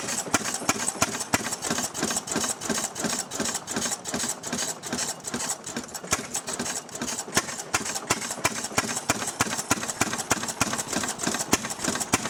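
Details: Restored 6 hp Fairbanks Morse Model Z single-cylinder engine, hand-cranked, running on kerosene for a buzzsaw: sharp regular clacks, about three a second, from the spring-loaded intake flapper over light mechanical chatter; running evenly and normally.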